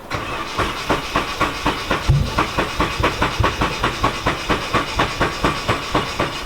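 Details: Nissan 240SX with a freshly turbocharged KA24DE-T, started off a booster pack after it died: rough, uneven, diesel-like running with a loud, steady ticking about four per second; oil starvation damaged the timing chain and valvetrain (owners first suspected a dropped valve).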